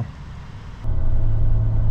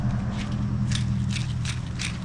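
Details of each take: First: 2005 Toyota Tacoma X-Runner, 4.0 V6, six-speed manual, test drive after clutch, pressure plate, throw-out bearing and rear main seal replacement: about 50 mph in fourth at 2500 rpm, steady smooth drone with no chatter, slipping or whine; normal driving. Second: Clutch release (throw-out) bearing removed from a 2005 Toyota Tacoma X-Runner (4.0 V6, 6-speed manual) during clutch replacement: spinning it by hand gives a gritty, ratcheting rasp because it is worn out.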